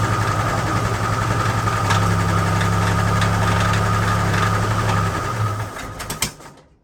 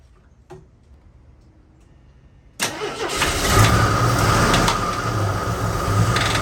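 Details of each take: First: AMC Concord six-cylinder parked 26 years since 1997, after tightening the spark plugs: settles into a steady, fairly even idle with a low hum, no stumbling, before shutting off; now on all six, mixture still needs adjusting. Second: AMC Concord sedan parked 26 years since 1997 over carburetor issues, first start: silent, then catches and runs lumpy with an uneven knock three or four times a second; no oil pressure shown, knock thought top end.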